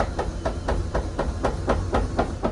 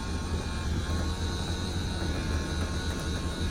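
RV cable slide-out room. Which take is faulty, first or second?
first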